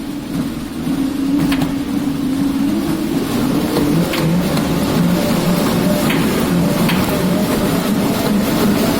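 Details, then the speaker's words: Woodway Curve non-powered curved treadmill: steady rumbling run with irregular sharp clicks, knocks and banging while running on it; belt rubbing on a protruding, too-long screw, scores visible on screws, belt possibly too loose. "now the problem with this is that when you're running on it it makes a locking noise banging noise"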